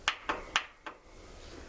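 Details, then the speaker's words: Cold start attempt on a Craftsman riding lawn mower at about 43°F, choke pulled, key on, car battery hooked up because its own battery is too weak; sharp dry clicks with no cranking as the faulty starter solenoid switch fails to engage. "pull out the choke turn on the key you can hear that click"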